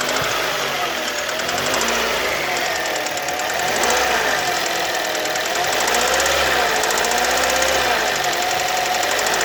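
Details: Kia Ceed at warm idle: a steady light ticking knock, about four per second, with no other noise. It knocks only when warm, not cold; valves were adjusted and are within tolerance, so not valves. Cause unclear.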